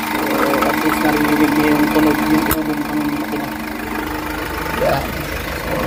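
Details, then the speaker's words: Hyundai H100 diesel idling with aircon on after throttle-delay/low-power repair and XADO engine treatment: steady, even, quiet idle hum with no knocks or misses; engine runs smooth and not labouring. "So, pakiramdaman natin yung andar ng makina. Napaka-tahimik na siya. Hindi siya ganong hirap. Talagang maririnig mo yung andar, matining."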